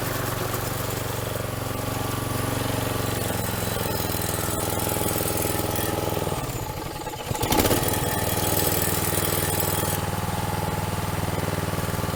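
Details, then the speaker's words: Troy-Bilt two-stroke string trimmer after fuel system repairs, new air filter, pre-filter and spark plug, started without priming: buzzes evenly, dips briefly on throttle, then holds a clean, steady run. "All right, sounds good."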